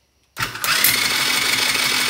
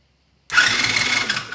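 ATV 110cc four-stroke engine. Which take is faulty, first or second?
first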